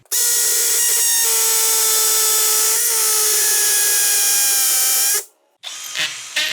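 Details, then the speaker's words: Milwaukee M12 Fuel cordless hammer drill, masonry bit, high speed setting 2 with hammer mode, drilling concrete: high motor whine with rapid chattering hammer blows for about five seconds, even and strong; normal hammer drilling. "And as you can hear, not only is that drill bit spinning, you could hear the concussive force being transmitted into the concrete and drilling that hole out."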